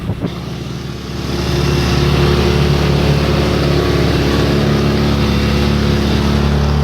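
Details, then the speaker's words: Baja 90cc minibike after engine swap, with new pipe and larger muffler: small single runs fast and even, about four pulses a second, still revving a little high; idle adjustment screw set too high. "Just a tad bit. Still revving a little high."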